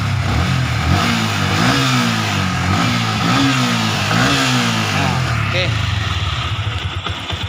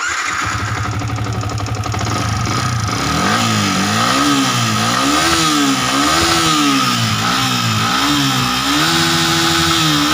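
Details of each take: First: Yamaha Vixion New after new piston, boring sleeve and replaced worn con rod: clean even revs rising and falling with throttle, no rattle or knock; remaining glek-glek sound attributed to clutch friction; normal revving. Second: Yamaha Vixion New, previously rebored with a non-stock Honda (possibly Sonic) piston fitted, blipped repeatedly: harsh metallic rattle from the head area over every rev; head, camshaft, valves and timing chain to be inspected.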